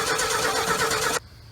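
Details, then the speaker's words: 1968 Ford F100 revived after 20 years sitting in the woods, fresh oil added, fuel line still priming to the carb: sluggish, uneven cranking churns over a second then cuts out without catching; cranking slow. "give her a little help here cranking kind of slow so if we can get it kind of lit off it'll um that fuel pump will kick over a lot faster and we'll get this fuel up to the carb quicker"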